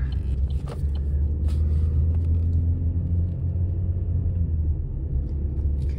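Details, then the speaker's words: 2011 Chevy Cruze 1.8L after a spark plug tune-up, climbing a small hill under load: steady low engine drone pulling evenly without hesitation; transmission no longer lags on the shift as before; normal acceleration. "didn't hold didn't lag on the shift there like it normally does"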